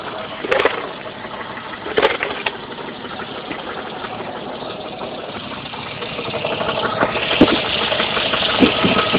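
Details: Jeep Cherokee at idle: rough rattling knock like a bad rod bearing, loud on the driver's side, gone above 1000 rpm, caused by finger-tight flexplate-to-torque converter bolts.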